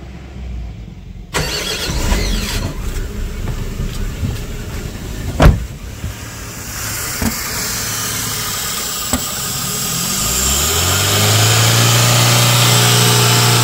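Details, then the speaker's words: 2008 Chevrolet Spark idling far too high, about 3000 rpm or more by ear, with no throttle input, after EGR valve and metal hose cleaning with throttle body cleaner; an air-leak hiss comes from near the intake manifold, also heard at shutdown. Vacuum leak suspected. "Intake manifold के पास से hissing नॉज आती है सुनके ऐसा लगता है जैसे हवा लीक हो रही हो और यही आवाज स्टार्ट बंद करने के समय में भी सुनाई देगा आप लोगों को"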